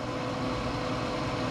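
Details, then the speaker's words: Pit Boss 520 wood pellet grill, over 5 years old, run with igniter disconnected: steady fan rush over low motor hum, auger feeding pellets, no cutting out or GFCI trip, confirming the igniter was the fault. "it's not tripping now and it's feeding pellets I hear the augur spinning so that was our issue"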